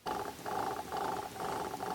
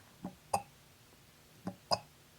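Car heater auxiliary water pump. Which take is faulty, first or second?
first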